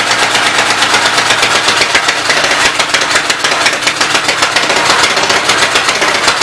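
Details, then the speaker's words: Fast, even-running Westchester engine with loud, sharp valvetrain clatter over the firing beat, valve cover off and oil spraying; oil going up from the crankcase, top end needs rebuilding. "All the oil's hanging out in the crankcase and going up around it. So top end's gonna need rebuilt."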